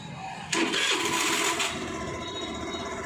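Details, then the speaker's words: Hero Maestro Edge BS6 scooter with hard starting and stalling on throttle, checked after a fuel pressure test showing about 50 psi: quiet, then one short self-start crank catches instantly into a steady idle without stalling; healthy start. "இப்ப ஒரே அடியில வந்து self வந்து start ஆயிடுச்சு"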